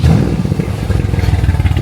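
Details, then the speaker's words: Mercedes W205 C63S AMG: the engine fires up and stumbles into a lumpy, uneven beat with dropped pulses; misfire caused by a leak in the air intake system. "So, firstly, a leak in the air intake system. You can actually hear that."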